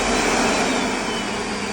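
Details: Vacuum cleaner switched on after replacing its motor with a new one of the same type, brush connector wires reconnected: smooth, steady high whir with no rattle, scraping or surging; motor spins up cleanly, repair successful, normal running.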